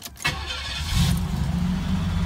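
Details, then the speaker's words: 1989 Cadillac DeVille 4.5L after ECM replacement (fixing F32 code, hard cold starts, rough and hunting idle): brief crank catches almost immediately and settles into a steady, even idle; quick normal start, mpg display now working. "so there's a good indication that it works we have miles per gallon which before was always zeroed out it would never change so that's working now and the car seems to be idling better"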